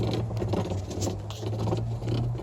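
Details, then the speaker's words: Samsung WA40J3000AW/A2 washer with belt and guard off, clutch pulley turned by hand: rough, gritty scraping over a low hum from the clutch/shifter assembly. The noise occurs only during agitate, spin is quiet. Cause suspected, not confirmed. "hear that noise if you have one of these washers it makes that noise only when it's agitating kind of sounds like that"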